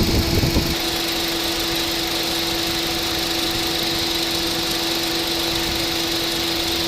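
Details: Honda City at idle after A/C repair (compressor had stopped working; new clutch plate, compressor oil changed, new drier and belt), both fans normal: smooth steady hum and even A/C hiss, no rattles or clutch chatter; compressor running normally.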